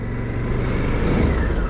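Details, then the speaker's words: 2010 Honda XL1000 Varadero, 996cc V-twin, about 95 bhp, on a test ride: deep, smooth exhaust rumble swelling slightly as the bike pulls; engine and exhaust sound healthy, normal. "The bike works really well, goes through the gears well, the engine's sweet, the exhaust sounds beautiful,"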